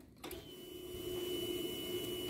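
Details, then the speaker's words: Fuel-injected motorcycle that stumbles and stalls: ~2-second electric whine of the fuel pump priming at key-on, with pressure reading only about 1 instead of ~3.5; misfires on throttle, weak fuel pump. "quando a gente acelera ela começa a querer falhar pessoal certo aí isso que acontece a bomba não tá com pressão suficiente para alimentar o bico"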